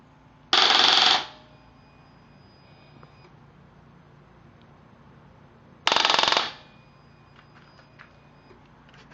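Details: Harley-Davidson Street Bob motorcycle: two short bursts of fast machine-gun clicking on each press of the start button, and the engine never turns over; a starting fault.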